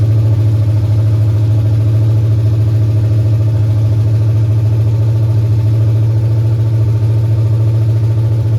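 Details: 1989 Mustang GT 5.0 carbureted V8, high-mileage stock shortblock, GT40 heads, mystery cam, longtube headers, just restarted after fuel pump hookup: deep steady burble, even lope through open exhaust, no knocks or misses; normal idle.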